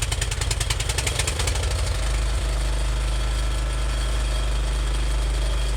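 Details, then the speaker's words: Small engine, cold after sitting since the day before, fuel on and choke on: rough chattering start settling within two seconds into a steady even low run on choke, started first try; normal cold start. "Fire it up first try."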